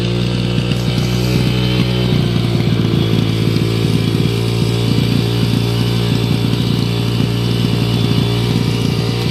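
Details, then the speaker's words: 2005 Yamaha 125cc dirt bike revived with carburetor reinstalled, test run, with a broken idle-adjustment piece still to be replaced: loud, busy single-cylinder exhaust burble with steady firing and no knocks or rattles; normal running. "Other than that, sounds great."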